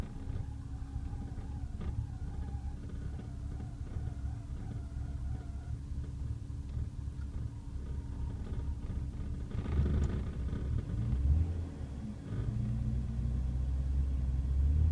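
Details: BMW E36 M3 on cold start: low, uneven idle bouncing below 500 rpm and dipping when revved, occasionally stalling; owner suspects a vacuum leak; camshaft position sensor and valve cover gasket recently replaced, PCV valve replacement pending.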